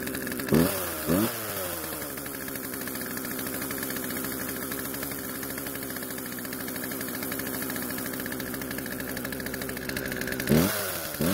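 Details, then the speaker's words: Poulan chainsaw started after storage once old fuel was drained from tank, lines and carb and fresh mix added: never settles to slow idle, keeps buzzing fast so the chain keeps moving; idle speed too high. "the only issue was that the idle speed was much too high causing the chain to keep moving which is obviously something we need to fix"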